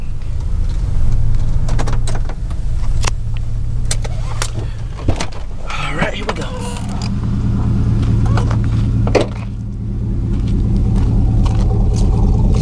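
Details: 2000 Chevy 4.8 V8 truck with four coils deliberately unplugged, revved: uneven, lumpy loping beat over deep exhaust rumble; running on four cylinders, misfire.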